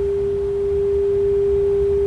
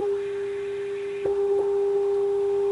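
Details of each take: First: 1930s Philco 112-B superheterodyne AM radio after electronic restoration, first IF primary being aligned by ear: a pure steady mid-pitched tone over a quiet hum. Still right on; the stage is aligned, clean test tone. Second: 1930s Philco 112-B superheterodyne AM radio, RF high-side adjustment during alignment: a steady pure whistle with a fainter overtone. Very touchy and sensitive to every noise. RF stage oscillation.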